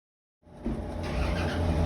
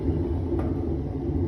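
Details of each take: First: Whirlpool washer, after repairing a noise blamed on water leakage: motor winds up into a smooth, steady low spin hum with no grinding or rumble; normal spin. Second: Whirlpool washing machine, disconnected from water, drum turned slowly by hand: low, gritty rumble; technician suspects worn transmission bearings, with water seen leaking, before disassembly.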